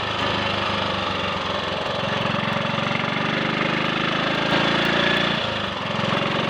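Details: Triumph Sports Cub single-cylinder after fuel-tank rust clean-out and protruded-electrode plug: even exhaust pulse rising smoothly as throttle opens, no misses; owner notes a slight hesitation between 1/2 and 3/4 throttle, suspecting crud on the carburettor needle.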